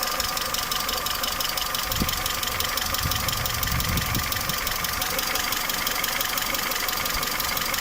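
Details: Peugeot 307 2.0L EW10J4: busy idle with a fast, fairly even light knocking from the top end, about three per second. Camshaft knock caused by worn camshaft bearing seats and journals.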